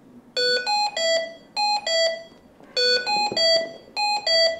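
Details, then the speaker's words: Hamilton T1 ventilator (SW 2.x, same on C1/MR1): high priority alarm of five melodic beeps, grouped three then two, repeating about every 2.4 seconds until the alarm is reset. "a high priority alarm is a sequence of five beeps that's repeated until the alarm is reset"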